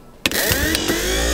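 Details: 1953 Oldsmobile 98 power window hydraulic pump motor, jumped directly: snaps on and spins up to a steady rising whine, smooth with no grinding; works.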